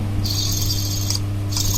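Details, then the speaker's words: Bajaj Discover 125cc motorcycle, engine fully stripped and main crankcase bearing spun by hand after washing in petrol: a dry, gritty rasp, heard running as a 'ghar ghar' noise. The inner balls are damaged, so both bearings need replacing. Worn ball bearing. "ये बेरिंग का फॉल्ट है। इसका जो अंदर का बॉल होता है खराब हो चुका है, ये आवाज आता है।"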